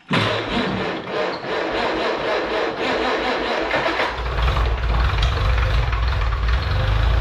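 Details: Farmall Cub tractor, 6 V battery at 6.34 V, started with choke after new radiator install and generator rebuild: starter cranks briefly, engine catches and settles into a steady, even idle with no knocks; radiator not leaking but generator not charging.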